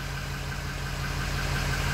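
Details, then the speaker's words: 2005 Ford Super Duty 6.0L Powerstroke diesel, 287,000 miles, after O-ring repair cured the no-start: low, steady idle with even rumble, no misses or knocks; running smoothly. "purring all beautiful so there you have it the Ford 60 diesel no start due to an O-ring"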